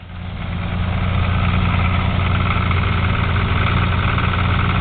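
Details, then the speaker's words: Toyota Supra 7M inline six, purchased used, allegedly bored 30 over, idling beside a healthy identical Supra: deep steady knock about four per second, smoke from oil cap hole; rod knock. "the two Motors can obviously tell which one's the loud one the one that obviously has something wrong with it"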